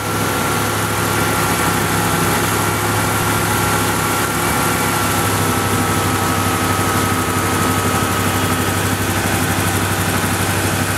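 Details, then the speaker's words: 1986 Ford LTD Crown Victoria LX, 5.0 Explorer engine with GT40P heads and Mustang A9P computer, idling during a KOER cylinder balance test that kills each injector in turn; with one cylinder dead the V8 loses its smooth beat and the hood shakes; single-cylinder misfire. "one cylinder is completely complely dead so it'll kill each injector numerically starting from one 1 2 3 and four on this side of the engine"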